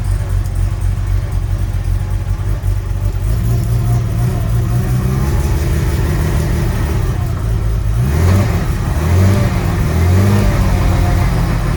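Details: Sunseeker XPS 25 powerboat, BMW B220 engine, on a water supply, after priming the fuel filter water separator pump: fires and holds a steady low rumble, then revs cleanly twice near the end without stumbling. Normal running.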